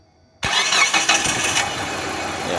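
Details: Distributorless engine that would not start with cam position (TDC) sensor socket unplugged or poorly fitted; after reconnecting the socket, brief crank and it fires straight away into a steady even idle; normal crank and start.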